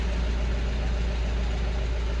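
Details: Mahindra Bolero BS6 diesel pickup after DPF silencer cleaning, previously DPF malfunction warning and high soot mass, not exceeding 60 km/h; steady even low rumble at idle with no knocks, misses or hunting; healthy.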